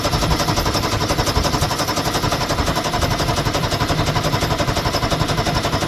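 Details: 1973 Ski-Doo 399 twin two-stroke snowmobile after clearing a fuel-passage obstruction: loud, steady two-stroke beat with an even pulsing rhythm that holds without stumbling; starts and runs cleanly.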